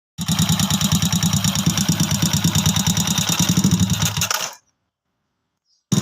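Uneven mechanical clatter around three beats a second over a lumpy idle before the engine cuts out; internal knock, source unconfirmed.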